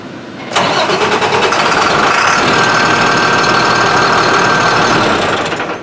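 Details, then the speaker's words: Beverage truck with DT466 diesel that starts hard after sitting overnight: the starter grinds for about five seconds at a steady rapid beat, then dies away. Mechanic suspects air getting into the fuel rather than running out. "so i don't think it's maybe not running out of fuel as maybe we're getting air in the fuel"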